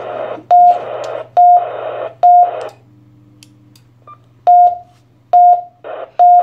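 Short mid-pitched beeps repeat in clusters about once a second, with a low hum underneath; radio beeping continuously, cause unknown.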